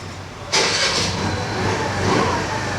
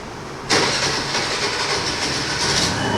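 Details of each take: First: TVS Jupiter BS6 2020 scooter that would not start after sitting three days and stalled at idle when throttle released, after repair with check-engine light cleared: starter catches, fires cleanly, settles into steady idle without stumbling; normal start and idle. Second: 2020 TVS Jupiter BS6 scooter, unused for three days, new battery fitted, engine check light on: the starter whirs and the engine catches about two seconds then dies, also stalling when throttle is applied. It starts then stalls, cause unknown.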